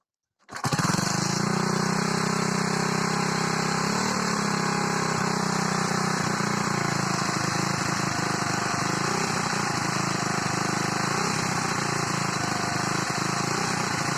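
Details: Moped small four-stroke with newly fitted carburetor filter: starts and settles into a steady, busy idle with a light metallic rattle; owner suspects timing chain, not confirmed.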